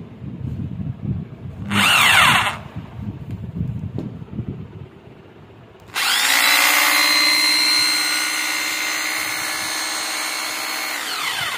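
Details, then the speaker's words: 26 mm hammer drill after broken head replacement and full service, reassembled with armature refitted: runs up to a smooth steady whine with no rattle or crunching; the earlier noise like something breaking inside is completely gone. "तो finally friend आपने देख लिया कि इसकी आवाज जो है वह बिल्कुल खत्म हो चुकी है"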